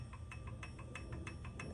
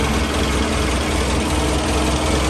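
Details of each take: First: Toyota 3TC engine with gear drive being installed, turned by hand during lash adjustment: crisp metallic ticks at roughly six a second. Too much timing gear backlash, with the gear moved about six and a half units too far. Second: Toyota 3TC engine first cold start on a cold day after timing gear drive install, no throttle pumps, timing being checked: steady even idle with low smooth rumble and no whine or rattle from the gears; normal cold idle.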